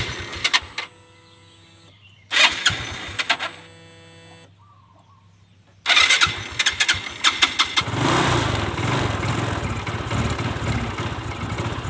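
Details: Fuel-injected scooter hard to start: cranks in short bursts with quiet gaps, then catches and runs roughly on throttle, dying when the throttle is released; fuel pump pressure and throttle body to be checked.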